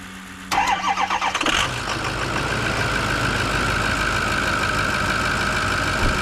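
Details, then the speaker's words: Ford F-350 6.0 Power Stroke diesel first start with new batteries after work on the hazing issue; about a second of brisk cranking, catches at once and settles into steady idle; old batteries were junk; healthy quick start. "This thing just fired up so quick and easy. Those batteries that were in this truck before were junk."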